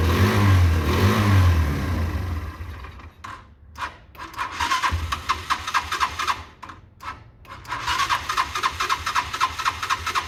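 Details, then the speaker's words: Derbi 125 single, a former non-runner, after a quick carb service and fuel tank clean: it fires promptly and revs in crisp bursts with an even beat between blips; it starts and runs cleanly. "so let's fire this up let's see what's happening good start"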